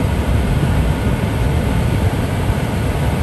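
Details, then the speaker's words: HVAC no-cooling call with blank thermostat: with 24 V present, thermostat red jumped to yellow, the outdoor unit runs with a steady low droning hum, no knocks, rattles or squeals; compressor and fan smooth. "i don't know if y'all can hear that but the outdoor unit's running and i'm sure y'all can hear that"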